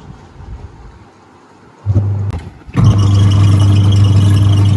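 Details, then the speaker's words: Washing machine spin test: steady low motor hum never builds into a spinning-drum whir because the spin brake is sticking and holding the drum; releasing the brake, clearing trapped clothes and greasing frees it. "ये जो है ये break चिपक र है ये वैसे ये घूम नहीं पा रही है अ जैसे ब्रेक को रिलीज करेंगे य घूमने लगेगी"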